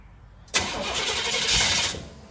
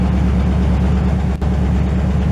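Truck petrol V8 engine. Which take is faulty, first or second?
first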